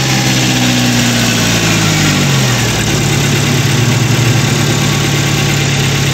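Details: Chevrolet Spark after head gasket replacement and timing job, restarted before coolant fill: revs drop after start into smooth, steady idle with even low hum, no knocks or ticks; engine healthy.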